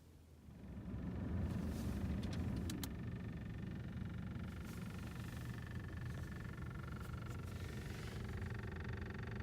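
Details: VW Jetta idling stationary, about 22,000 km: smooth quiet idle with sparse sharp irregular knocks from front right door/glovebox area; rare intermittent knock, pressing glovebox and door didn't stop it, source unknown.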